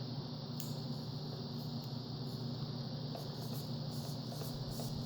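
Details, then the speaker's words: Horizon Hobby Spitfire 1.2m RC plane, new but DOA rudder servo removed: faint irregular clicks and pops over a quiet hum as the stripped gear, one tooth gone, pops over the teeth; gear skipping over broken tooth. "Yep, I can feel it. I just spun it by hand. Yeah, it's popping over the teeth."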